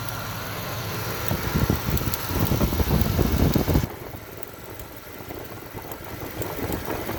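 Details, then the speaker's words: Cadillac Fleetwood after coolant restriction valve replacement, fuel smell: uneven idle with irregular hollow bloops every second or so, then settling low and rough; misfire at idle, owner suspects the OptiSpark distributor. "I don't understand what's going on with it. Every time when you hear that bloop bloop sound, that is a miss."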